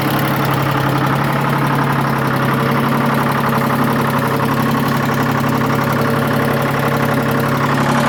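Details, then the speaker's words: Detroit diesel heavy truck, described by the owner as some sort of "screaming Jenny" engine, sounding like a two-stroke. It runs with a loud, busy, fast even buzzing beat and a rasping exhaust edge: normal running. "I tell you this thing sounds amazing listen to it I was told it has some sort of a screaming Jenny motor or something it sounds like a two-stroke to me but I guess it's not"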